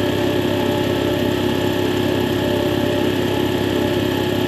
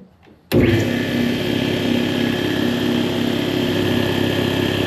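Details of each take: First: Air compressor test run after replacing faulty check valve that caused air leaking from unloader; loud even mechanical drone with steady pulse, no hiss or stumble, pumping cleanly with no leak. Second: Air compressor running with a faulty check valve: a steady, hard motor drone with a faint hiss as air leaks out at the unloader near the pressure-switch base plate, which wrongly suggests a bad pressure switch.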